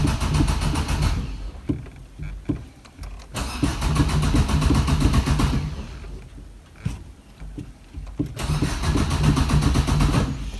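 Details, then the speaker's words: Car (likely Maruti Swift diesel, manual) started after sitting many days unused, tyres low: starter churns in long bursts, about four turns a second, engine never catches; extended crank, no start, cause unknown (owner suspects long disuse). "अ भी crank कर रही है start नहीं हो रही पता नहीं समझ नहीं आ रहा की दिक्कत आई है"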